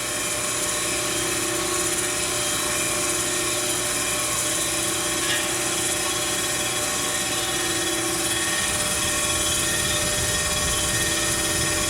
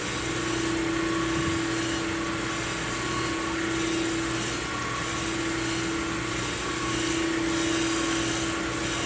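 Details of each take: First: Plunge grinding a Ford 460 crankshaft journal: the stone just touching the old journal radius makes it ring, heard as a steady high-pitched ringing whine under a constant hiss. This is normal while approaching zero. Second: Plunge grinding a Ford 460 crankshaft journal, which was about one and a half out of round, to make a smooth spot for the steady rest. A continuous hissing sizzle over a steady motor hum, with a faint tone coming and going: the stone is in full contact.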